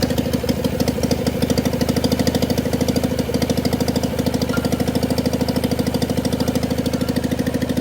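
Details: John Deere 400 tractor, Kohler K532 twin, parts tractor not run in about a decade, bad governor (points plunger didn't move), makeshift fuel supply, full choke: steady even twin-cylinder beat settling smooth, no misses or knocks, no smoke; healthy running.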